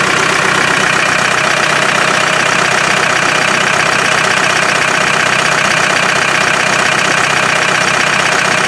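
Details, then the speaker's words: Land Rover 300Tdi diesel idling with cyclone separator hose off and rocker cover cap lifted: strong steady hiss and puffing, about three pulses a second, with oily smoke; excessive crankcase blow-by, low power engine. "Did you hear how much back pressure was in it? Unbelievable."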